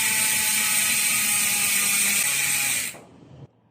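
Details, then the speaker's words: Hassns Pro 7 rear hub on a friend's MTB wheelset with stainless spokes, coasting: fast, fine, higher-pitched ticking than the other wheelset, even and crisp until it stops; healthy freehub ratchet, difference attributed to wheelset vibration. "ang tunog naman niya, mas higher pitch. Kumbaga, kung gagayahin natin sa boses natin, parang eh, ganun naman siya."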